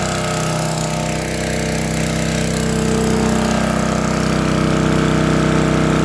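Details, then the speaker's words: Lincoln Weldanpower 150 AC generator/welder (owner guesses 1964), repaired (magnet had rubbed coil causing no spark; new coil, condenser, plug, wire, fuel line, filter, points reset), run down to idle: steady even single-cylinder thump about four per second, no misses. Normal idle. "and then let me run it down to idle so you can hear me"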